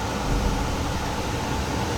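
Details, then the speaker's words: Furnace started by bypassing the thermostat with a jumper from R to W: after flame is proven and a warm-up delay, the blower comes on with a steady, even airy rush and no rattle, scrape or cycling; normal operation. "That's why it takes a little while for the blower motor to kick. Now it's on and we are all set, guys."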